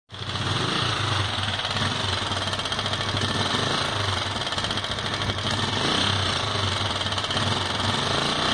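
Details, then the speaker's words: Sundown MAX 125 motorcycle at idle: loud, fast metallic clatter and hiss above the exhaust beat; excessive top-end noise, cause not confirmed before disassembling the upper engine. "o que eu vou fazer uma desmontagem aqui dessa parte superior do motor que está com um barulho excessivo"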